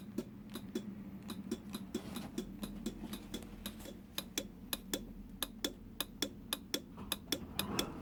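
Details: Honda NSR won't start on the button, rectifier already changed, bump-starts first time: light sharp ticks about three per second with no cranking or firing, starter failing to turn the engine.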